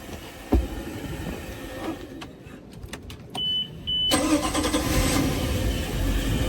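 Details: Volvo Penta 5.7GI boat V8, 500 hours, previously would not start; after replacing bad plug wires, a few clicks and a beep, then it fires right up and settles into a steady, even idle.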